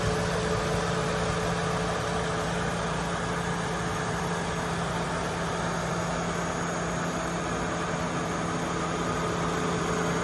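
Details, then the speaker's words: Chevy Malibu V6 ex-AT&T fleet car bought at Copart, hood open, oil shows no coolant intrusion: steady even idle with smooth low hum, no knocks, ticks or misses; runs great. "so as you can see she runs great"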